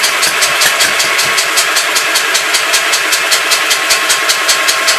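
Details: Gravely Pro 12 (shop's number 3) engine cranking steadily about two and a half beats a second with light, even compression strokes, won't fire; no compression from stuck intake valve, owner suspects water got into motor.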